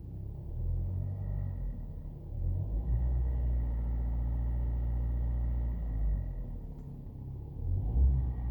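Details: 2012 Hyundai YF Sonata LPI cold idle, before repair: deep rumble with a loose, uneven knock from near the cylinder head, first mistaken for plastic vibration but growing louder, plus a faint high whine; knocking suspected, not confirmed.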